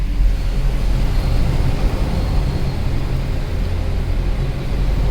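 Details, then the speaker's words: Mercedes C63 AMG after a winter, with rotors, calipers and pads washed, rolling to complete stops: only low road rumble and no squeal or scraping; the brakes are now quiet. "zero squeal coming to a complete stop zero nothing okay let's drive forward a little bit come to a complete stop zero squeal"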